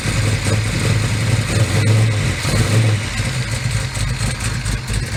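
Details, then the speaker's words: 1969 Chevrolet Camaro pro street car with solid roller camshaft and electric fuel pump: fires immediately, loud choppy lumpy idle with uneven lope and sharp revs; runs very well, healthy big-cam V8, not yet warmed up. "car runs fires immediately runs very very well obviously got a good camshaft as mentioned a solid"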